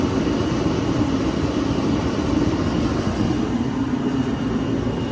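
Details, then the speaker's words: Shop heater converted to burn waste oil, firing up on used oil: steady, even low roar with no surging, popping or sputter; burner firing cleanly and running smoothly. "So let's fire this beast up. And it's actually running on a used oil right now. Fire right up."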